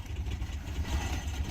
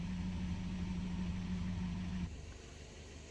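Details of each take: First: Natural-gas-converted Mercedes 190E 2.0 running on natural gas: low, uneven idle surging and sagging, close to stalling, worse than usual; it died on throttle. Petrol idle is 700 rpm; owner adjusts idle screw on gas system. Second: Natural-gas-converted Mercedes 190E 2.0 running on natural gas, after a simple no-tools fix of its bad rough idle: smooth, even low hum, idling perfectly fine now and usable; normal idle.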